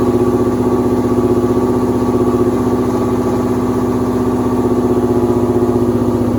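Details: 2007 Mustang GT with swapped Coyote V8, no control pack, first start-up with custom exhaust to 3-valve mid pipe: steady even idle with smooth regular pulse, no knocks or misses; sounds healthy.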